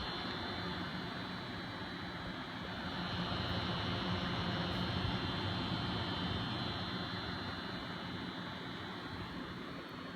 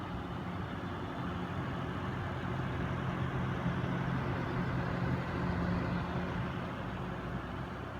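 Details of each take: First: Noctua NH-D15 CPU cooler with its 140 mm fans in pull (sucking air through the fins) because of tall RAM: steady airflow with a loud, low, rough buzz; quiet in push. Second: Noctua NH-D15 CPU cooler with both 140 mm fans in push-push configuration, pushing air through the heatsink fins: soft, even air rush with a faint low hum and only turbulence, no buzzing. The fans run quietly, unlike the buzzing pull setup.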